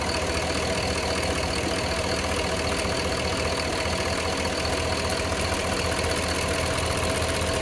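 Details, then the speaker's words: Cadillac Escalade Hybrid, Vortec 6.0 V8 at idle: light tick, two or more per second, comes and goes, heard only from the driver's side bank; injectors suspected, source not confirmed. "Are those injectors or what? I hear them coming only from the driver's side bank."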